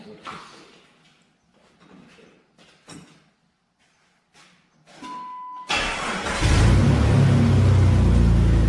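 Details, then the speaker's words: Jeep TJ 4.0 litre, tired engine with new exhaust manifold, started cold at about 50°F on cold straight 50-weight oil: after a chime it cranks into a loud rough idle with quick exhaust-leak ticking; engine knock masked until oil warms. "now what you hear right now is just the uh exhaust leak [Music] you can't hear the engine knocking because it's like 50 some degrees here and the oil is cold"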